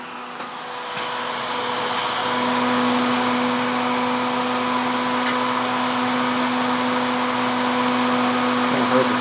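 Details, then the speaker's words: Repaired Husky Pro air compressor with an added cooling fan and cowling blowing across the cylinder fins: a steady, even whoosh and clean hum, no rubbing, ticking or wobble. Blowing hard; the fan runs normally. "it's uh it's blowing really hard lots and lots of air"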